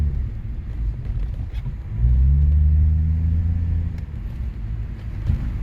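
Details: Lexus IS250 test drive after repair of a brake creaking noise that occurred even without braking: only steady tyre and body rumble rising with speed, with no creak or squeal from the brakes, so it appears fixed.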